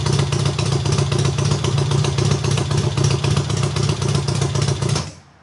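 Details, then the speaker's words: Triumph hardtail, first start after the engine sat almost a year, cold start on the third or fourth kick: very loud, steady, even exhaust pulses at fast idle with no misses or clatter, then shut off; healthy. "well holy crap that is so freaking loud"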